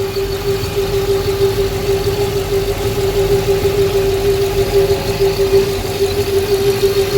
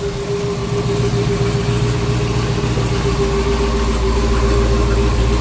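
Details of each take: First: Custom twin-turbo Dodge Hellcat V8 with single Comp Cams cam, cold start idle: steady hollow hum from the exhaust manifold over the rumble, faint uneven pulse; heard since the manifold was fitted, cause unknown. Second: Custom twin-turbo Hellcat V8 with single Comp cam, cold start: steady, even, quiet deep idle with a faint constant tone, slight turbo noise and a hollow manifold sound; runs smooth, no misses.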